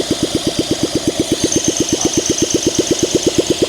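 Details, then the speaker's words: 1971 Honda SL125, long-stored formerly seized engine, cleaned carburetor, no choke, seized throttle cable: cranking chuffs about three per second with occasional pops, not catching; owner suspects low compression, unconfirmed. "Come on. Could be low compression. Oh, you heard that pop? Come on, you want to do this. Oh, there you go, come on. Oh, it wants to run."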